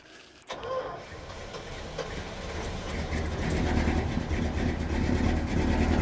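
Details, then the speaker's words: 1971 Dodge Sweptline big-block V8 first start after carburetor float adjustment, following fuel hydrolock: catches and revs but lumpy, dropping cylinders, missing badly; firing order verified, plugs likely fuel fouled from flooding. "She's missing something fierce. All right, what's going on here?"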